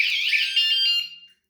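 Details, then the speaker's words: Pebl with two hidden 120-decibel vibration alarms armed, bike shaken by hand: piercing, high warbling alarm tone held then fading out; anti-theft alarm triggered, stops after a while. "So there you go. So if somebody tries to abscond with my pebble, well, they're not going to like that noise. It does stop after a while."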